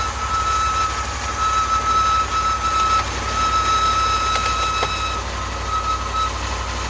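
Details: 2019 Ram 1500 on cold start: steady, high wavering belt squeal over a low idle; alternator, battery and battery sensor replacements didn't help, replacing the idler pulley and tensioner together cured it.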